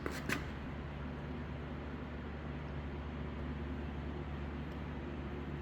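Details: Crash-damaged Mercedes-Benz GLK350 being rebuilt with new aftermarket parts, after moving a cable that hit the fan or belt: steady low hum, even idle, no knocks, rubbing or ticking, no leaks; normal idle.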